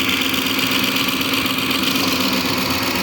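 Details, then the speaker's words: 2007 Ford Expedition engine idling after a serpentine belt replacement: fast, even light ticking of about four per second, like a typewriter, over a smooth steady idle. This is normal fuel injector noise, quieter than on the owner's F-150. "that's the fuel injectors of course is what you're hearing but the fuel injectors on my um 150 over there are much louder"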